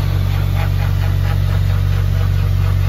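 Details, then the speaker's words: Subaru WRX time-attack car after a track day: steady low drone with an even pulsing beat, about three a second, from the rear differential; pinion bearing suspected worn or damaged, before fitting a plated limited-slip diff. "So we have this noise coming from the rear diff."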